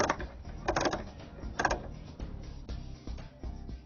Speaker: close the lead block and knob clockwise until you'll hear a clicking tongue